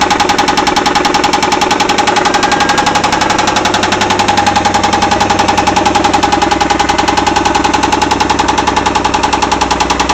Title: Angel's Rod knock